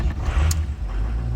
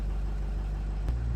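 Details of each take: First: 2006 Ford F250 6.0L diesel with erratic low injection control pressure: heavy low rumble as it finally catches after long cranking; hard start caused by the injection pressure regulator (IPR) solenoid, replaced as the fix. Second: 2006 Ford F250 6.0-liter diesel after replacing the injection pressure regulator (IPR) solenoid for low injection control pressure no-start: after extended cranking, steady deep even rumble settling to smooth idle, no misses or knocks; running normally.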